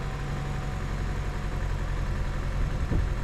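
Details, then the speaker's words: 2011 Chevy Cruze with a brand-new engine, just after a turbo install, idling low and rough with an uneven stumbling skip; scanner shows random cylinder misfire codes, and low compression on cylinder two is suspected but not yet checked. "all right as you can see the car island down and there's the skip"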